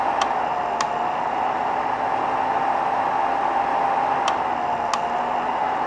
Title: BI V2.5 heat bed clicking noise